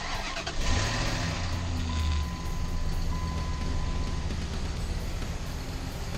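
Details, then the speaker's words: 2004 Dodge Ram 1500 4.7 L V8, first start after fuel pump assembly replacement, bed raised: catches and settles into uneven lumpy idle with wavering low rumble; running rough, cause not confirmed. "Sounds like crap, but it's running. That's what we were looking for."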